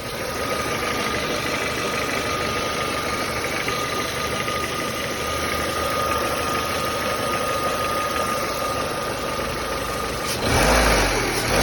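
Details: Nissan Almera G15 at warm idle, uneven light knocking roughly three times a second with a faint thin whine; knock appears only once warmed up, absent when fully cold; cause not identified.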